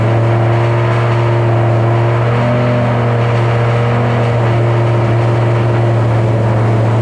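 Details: 2007 Shelby GT500 supercharged V8 after L&M NSR cam install, first start on initial tune: steady, fast, even drone that never settles, idling well above normal; idle was later brought down with a tune revision. High idle.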